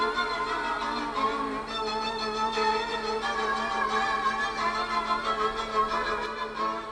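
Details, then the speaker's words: 1970s Decca Harmony CR 1100 radio/cassette after slack drive belt issue, playing commercial classical cassette that plays fine elsewhere; violin pitch wavers badly several times a second, heavy wow and flutter from the transport. "As you can hear, it's very wobbly on a piece of classical music there, and that's on a commercial cassette, so it's not the cassette's been recorded badly."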